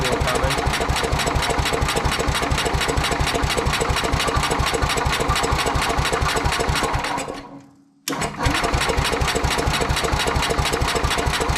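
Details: Sears Suburban 12 lawn tractor with a Tecumseh 12hp single-cylinder engine, barn-stored five or six years, run after rewiring and fuel tank work: chugs with even, steady firing, briefly sags almost to a stall, then picks back up and runs.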